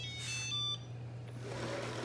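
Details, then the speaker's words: Shark Ion robot vacuum (725/750/850/1000 series) sent to dock: short pair of high electronic chirps, error alert that it cannot find home because the charging base has no power. "and it cannot find home because there's no power."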